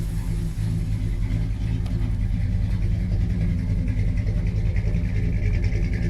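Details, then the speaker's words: 1971 Dodge Sweptline big-block V8 after carburetor rebuild with new power valve and gaskets fixing fuel flooding into crankcase: deep, steady, even idle with no misses and no more smoke from the exhaust. "Well, how about that? I'd have to say, with that power valve, sure does sound good now."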